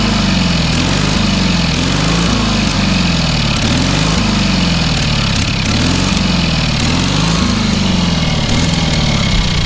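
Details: Small single-cylinder engine on a trailer-mounted cherry picker man lift, half throttle, water found in the oil and corroded intake: keeps running on its own, pitch swaying gently every second or so, no knock; normal running.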